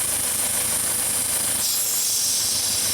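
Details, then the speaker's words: Engine with lean codes, listened to at the fuel injectors: a loud, steady airy hiss over a faint idle that changes pitch a little when wiggled. Air is being sucked in past leaking injector seals, at least on the first injector. "customer has some lean codes and we can hear a vacuum leak down here and as i wiggle this it changes pitch just a little bit but the true test is when i do this hopefully you can hear it on camera"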